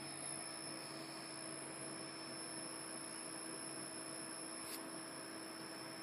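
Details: Original "fat" PS3 console gives a steady thin high-pitched whine with a faint lower hum, unchanged throughout; cause unknown.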